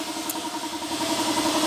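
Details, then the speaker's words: 20-year-old Honda TMX155 single after a prior shop replaced the timing gear: loud harsh mechanical clatter over steady running, still very noisy; crankcase half found cracked on teardown; damaged connecting rod. "Tapos bago yung black replacement try nating paandarin yan oh napakaingay pa rin mga kaabo"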